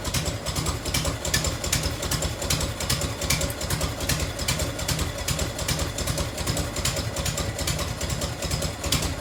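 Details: 1990 Harley FLHTC Evo V-twin, cold start on choke and fuel reserve, heat shield off. Loping idle with a crisp, quick tick on every firing pulse: exhaust leak at a crooked header clamp that needs loosening, retightening or shimming.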